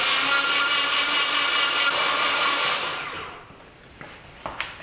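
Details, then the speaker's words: Nissan 240SX S14 with a KA24DE, cranked on the starter with spark plugs out, no spark and injectors disconnected to prime oil: fast, even, smooth high whir with no compression pulses, then winds down. Normal free cranking. "So that way the engine is just spinning, and you'll see how fast you can rotate the engine when there's no spark plugs in it."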